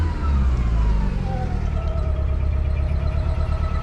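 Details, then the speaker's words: 1995 Plymouth Neon, low mileage, long-stored with old gas, just restarted after Berryman's: revving with rough uneven rumble that steadies at hold, slight chirp; stumble from old gas clearing up. "She's clearing up. Heck, man. A little chirpy because she's just rocking."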